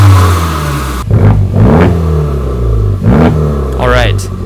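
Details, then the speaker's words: Totaled Honda Civic Type R turbo petrol engine at operating temperature with fans on, heard from outside; quick throttle blips from a steady idle, revs climb and drop cleanly with no knock or rattle; normal revving. "Yes, it's on. It spins. Okay, the engine runs at temperature. That's good."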